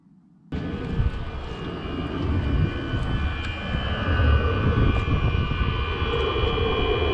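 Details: Chinese clone diesel heater running before any muffler work: a loud, steady rushing roar with a high whistling edge, like a small jet. The exhaust is the suspected source, and the owner hopes it is not the bearing inside the unit.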